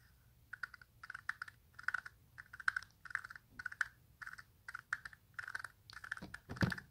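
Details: Toyota MR2 removed worn strut top mount turned by hand: clusters of dry gritty clicks, degraded bearing grinding, unlike smooth new part.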